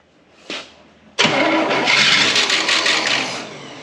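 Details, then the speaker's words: 1971 Cadillac Eldorado 500 cu in 8.2L V8 barn find, first start attempt with added fuel: brief cough, catches, runs rough with raspy rattle from the rear before dying; owner suspects rodent-stashed nuts, cause unclear. "we got a weird sound coming out the back of this that I genuinely think it's like walnuts or acorns or or something that the rodents"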